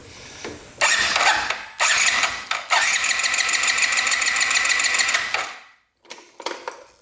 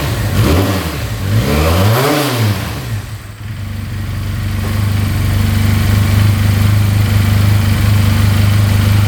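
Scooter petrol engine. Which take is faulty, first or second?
first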